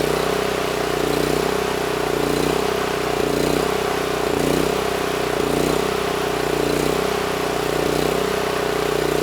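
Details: NorthStar 8000 PPG generator with a 13 hp Honda GX390, refueled: steady constant-speed drone with an even beat, no hunting or surging; normal governed running.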